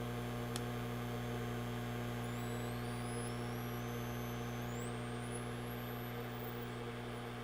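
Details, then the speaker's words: DROK 800W DC boost converter (10-65V in, 12-120V out), input around 18.7V giving 19V out: steady low electrical hum with a faint high whistle stepping upward in pitch. "we can hear some noise so from 18.7 we can get 19"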